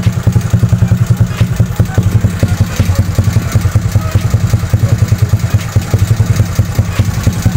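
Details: Bored-up single-cylinder motorcycle engine, compression cut from about 11:1 by machining piston valve pockets and enlarging the head dome, idles with a light sharp ticking over the thump that disappears at high rpm; valve-to-piston contact.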